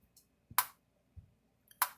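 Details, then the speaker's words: Lightning-damaged International Super 5000A Captivator electric fencer after roughly 70% board rebuild (tracks, surge protection, trigger devices, resistors) and new fence-okay bulb: sharp crisp clicks about every 1.2 seconds with light flashing; normal regular pulsing. "So it has just a little light here that flashes, a fence okay light. So flip it on here."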